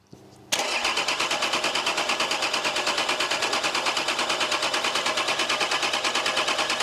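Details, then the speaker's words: Nissan Patrol TD42 diesel that sat for years, first start on a jerry can of diesel and jump pack: catches at once, then settles into an even clatter at about three beats a second, steady idle, no misfire. "So as we all know, she runs, which is a good sign."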